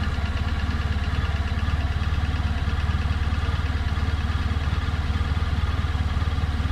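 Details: 2018 Honda Crosstourer at 1000 km: fast, fairly even ticking knock, about three to four per second, over a steady idle; engine knocking, cause unknown.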